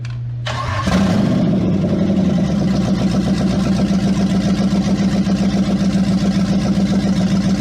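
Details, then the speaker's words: Replacement Hemi V8 in Jeep, first start after priming oil and fuel pressure: cranks briefly, catches cleanly into a strong even idle, no knocks or ticks; 75 psi oil pressure, healthy. "that sounds strong 75 pounds of oil pressure that's perfect yeah that's exactly where it needs to be"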